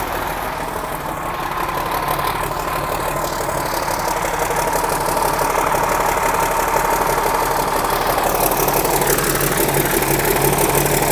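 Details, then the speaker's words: 1963 Mack F600 old diesel, owner thinks an early C six-cylinder, just fired up after checking fuel prime; oil pressure coming up through the big filter. Steady even idle with light turbo whistle, no knocks or misses: normal healthy diesel idle. "but you know she's happy there so yeah beautiful absolutely magnificent hear that turbo whistle"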